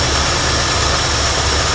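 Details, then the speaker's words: 1972 Ford F100 after fitting a rebuilt carburetor, long-abandoned truck: starts right up, low steady burble at even idle, no stumbling, misfire or exhaust smoke. Normal idle. "idling perfectly heel PK working good no smoke coming out of the exhaust"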